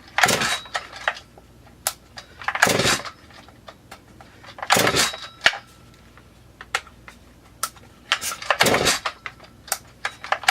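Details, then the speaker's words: Freshly assembled Huztl Stihl MS440 clone chainsaw at its first start on mix fuel with choke set: ragged, uneven running in bursts with popping cracks before it falters. The decompression valve pops open very easily. "a decomp wants to pop out real easy"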